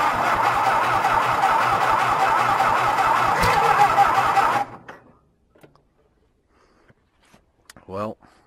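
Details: John Deere, cold, wet winter start after green crud was found: even cranking at about two and a half turns a second for four seconds, then silence with no firing.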